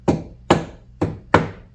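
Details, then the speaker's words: 2023 Chevrolet Camaro SS door, inside already treated but outer metal not yet covered with constrained-layer damping: four hollow taps each leaving a short metallic ring and rattle; undamped panel resonance needing damping. "We still have stuff that's making a rattling sound when we hit on it."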